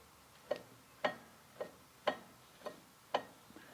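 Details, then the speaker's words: BMW Z3 (E36 drivetrain) with rear clunking when shifting, rear wheels rocked by hand: sharp clunks about once a second; the source is unconfirmed, suspected differential or U-joint. "all right so let me move those wheels back and forth and i can hear the clunking and that is certainly coming from my differential"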